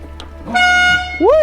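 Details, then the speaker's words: Abandoned Ferrari 348 under restoration, battery power just restored, engine not running: loud, steady, clear horn blast for about half a second, then a brief wavering tone; horn works and sounds strong and healthy. "that scared me that sounds amazing that is proper Ferrari"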